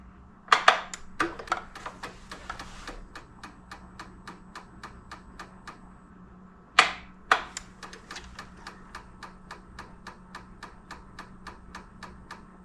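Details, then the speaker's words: 2007 Honda Metropolitan 50cc scooter, electric fuel pump back-probed and pumping through filter into a glass jar, key on: steady light ticking about three a second after two sharper bursts; normal fuel pump pulsing. "it's like it's sending pulses of voltage okay well let's see what happens when we crank it"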